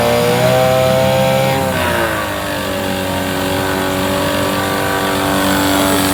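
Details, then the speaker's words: 9.9 hp Mercury outboard, no-start blamed on an old fuel line probably drawing air: smooth, even drone, revs drop once then hold steady with no misses; running well. "yeah it's running good i don't see any problem with this"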